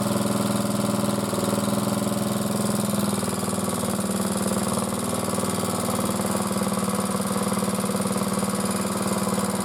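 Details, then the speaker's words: Single-cylinder motor cultivator that started knocking and stalled, and was hard to start, after hard use: it starts after the valve clearances are checked (0.20 intake, 0.15 exhaust), then chugs at an even idle with no tapping, gearbox turning; normal running. "Сейчас пробуем заводить. Редуктор вращается. Вот как-то так, ребята."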